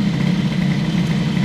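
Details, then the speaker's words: Airsal T6 65 two-stroke moped with Stradivario sample, just started and warming, choke off: fast steady idle with buzzy, tinny rattle; silencer broken at the perforated inner tube. "Bon, ce bruit de pot est vraiment dégueulasse."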